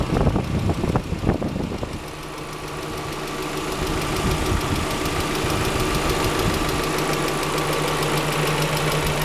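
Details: 5th-gen Honda Prelude idling steadily with a light, uneven tapping knock about three per second over the engine hum; owner suspects bent valves, not confirmed.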